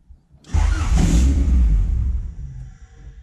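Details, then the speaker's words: Honda CRX Si with new 3" Thermal exhaust, super cold start with no throttle: fires, may flare to about 1,500 rpm for 1-2 seconds, then sags and dies. Fast idle control valve missing, IAC duty 75; owner suspects that, unconfirmed. Stalls on cold start. "so here's the issue on a super cold start first thoughts maybe because the fast idle control valves not there I have an IAC the duties price 75 it kind of helps when I crank it all the way up but this is a no gas in the gas pedal"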